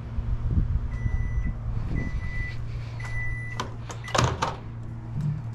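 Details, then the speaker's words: Steady low even hum with a few short beeps and no harsh buzz from a GE microwave after its faulty magnetron was replaced. Before the repair it buzzed loudly and wouldn't heat; now the water boils and it runs normally. "Run it for a minute. Definitely sounds better."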